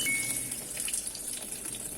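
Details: LG fully automatic washer TS851CR that won't wash or spin: soft, steady hiss of water filling without sputter. The water inlet works normally, but the pulsator doesn't move at all.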